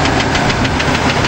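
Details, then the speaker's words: 1993 Ford F-150 with the 4.9 L six-cylinder. Light, regular taps about six or seven a second over a steady idle, an upper-engine tick that holds with engine speed. It has been like this for a while; cause unconfirmed. Tapping noise at idle. "yes it is making a tapping noise however it's been like this for a while"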